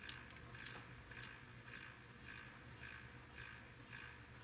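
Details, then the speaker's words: Neotec 2515C 25" arcade monitor chassis with no picture: the power supply ticks sharply about twice a second, trying and failing to start with B+ at 125 V; it starts quicker at 108 V but still ticks; a bad filter capacitor is suspected. "if I lower the B plus to 108 then it'll fire up somewhat quickly but it still does this ticking thing"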